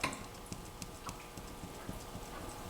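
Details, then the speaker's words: 1998 Ram 1500 4x4 (twin-turbo 5.2 Magnum) front end rocked by hand: irregular light knocks a few per second, a loose ball joint clunking; front end needs work. "This side, we definitely got a ball joint loose."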